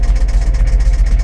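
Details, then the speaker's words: Jaguar idling after the fuel system was cleaned of sugar contamination and the filter replaced; deep idle rumble with steady rapid pulsing, about eight beats a second, and clacking; cause not pinned down. "Kinda. That's got some nice sounding exhaust, but dang, why does it gotta be so clacky?"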